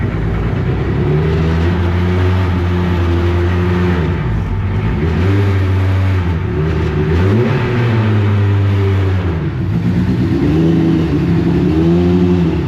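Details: Clemson Deep Orange 9 car with rebuilt engine after first start: runs only on repeated throttle, pitch sagging and rising, won't hold idle; held on the gas, cold/hot map possibly involved.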